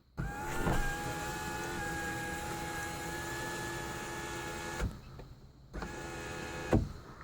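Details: Lexus IS300 sunroof motor after cleaning its copper contacts to fix sticking and clicking: smooth, steady electric whir for several seconds, stopping cleanly with soft clunks at the ends; normal sunroof motor operation.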